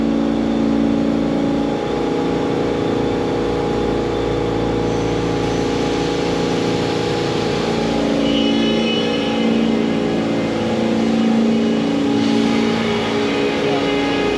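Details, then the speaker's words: ShopBot CNC spindle cutting 6061 aluminum after changing cut direction, start depth 0.04 and cut depth about 0.075: steady high whine with an even rasp, no chatter; better outside-cut direction with the clockwise bit pulling away, so chip load shrinks. "That's a better direction for the outside cut because the bit is turning clockwise, but I'm pulling away."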